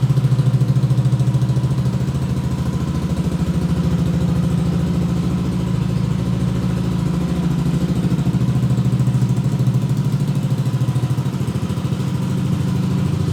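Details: Yamaha Aerox 155 Connected scooter with Proliner Neo SR Silent aftermarket exhaust after four months of use, at idle: steady low, rounded, deep bass thrum with even beats and nothing rattling; normal idle with aftermarket exhaust.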